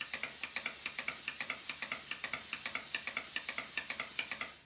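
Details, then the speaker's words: Southworth duplex steam pump on a large Stuart Models steam plant, before valve timing adjustment: sharp ticks at about two and a half per second in a lopsided, limping rhythm; the valve timing is off. "terms the valve timing has sort of a dotted beat the beats are not even"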